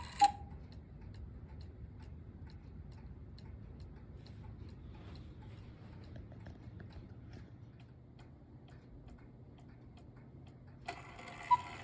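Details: Antique miniature cuckoo clock, possibly 1940s–50s, brass-plated movement, being restored; steady even tick-tock about two and a half beats a second in a quiet room. Normal ticking.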